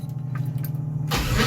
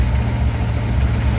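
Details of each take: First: 1955 DeSoto, supercharged 392 HEMI V8, cold start after sitting a few weeks: cranks about a second, catches rough and uneven, settles to lumpy idle; owner thinks there was no fuel in it. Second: 1955 DeSoto, supercharged 392 HEMI V8 idling after carb and timing work: deep steady rumble with faint rhythmic rise and fall, mild surge, otherwise even; vacuum 14–15 fluctuating from blower, fuel pressure reading 15–9 possibly low.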